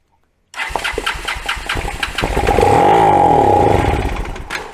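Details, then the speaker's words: Kawasaki Bayou 220 ATV, bought non-running, with a spark plug, coil and CDI box fitted and a squirt of fuel: cranks a few beats, catches, runs evenly a couple of seconds with no knocking, then dies; normal firing on primed fuel. "we got noise that's a good sign everything actually i don't hear any knocking or anything like that it sounded pretty good"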